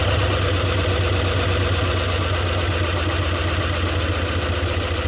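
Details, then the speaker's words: 1976 Ford F-250 highboy V8, just revived after 15 years and a carburetor rebuild: rough, lumpy idle at about four pulses a second, missing on some cylinders; owner thinks one more cylinder needs to come back. "I think we need one more cylind"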